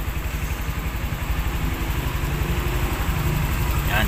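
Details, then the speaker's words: Honda Click scooter, six years old, right after the weak battery was replaced with a new one: starts on one press and settles into a quick, steady, even putter with no knocks; healthy. "Yun, okay. Isang pindot lang, umandar"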